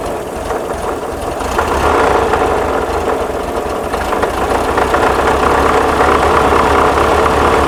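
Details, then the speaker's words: 1979 VW Super Beetle, fuel-injected, air-cooled, warm idle: steady mid-pitched hum, faint hiss above the fan whir, slightly uneven beat; possible vacuum leak suspected, rough idle. "she's idling down it's on it warm idle startup let me get this uh button up and uh get a get a timing light on this do you have a vacuum leak sounds like the fan"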